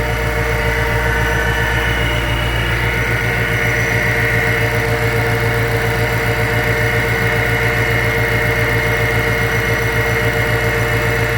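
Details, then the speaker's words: 2014 Mustang GT with a Whipple supercharger at idle, just after a Griptec pulley install to prevent belt slip: a steady idle with a constant belt-driven whine, no chirp or slip. The belt is tracking correctly. "I know it's a little noisy, but as you can see, the belt is tracking correctly."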